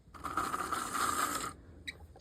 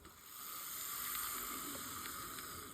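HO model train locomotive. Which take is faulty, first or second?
first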